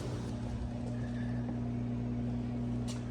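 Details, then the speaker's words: Maytag Performa PSD267LHES refrigerator whose compressor had locked up, after fitting a replacement compressor and evacuating the system: steady, even low hum with no clicking, rattling or labouring; normal compressor running. "Moment of truth. That's what it's supposed to sound like. Yeah, buddy."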